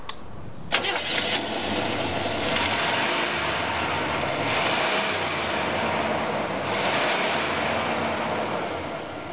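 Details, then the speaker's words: 1970 GMC Fleetside pickup, 350 V8 with Turbo 350 automatic, about 100,000 miles: cranks and catches quickly, then settles to a smooth, even idle with gentle blips; runs well, though it smokes slightly after sitting. "And this engine, it runs good."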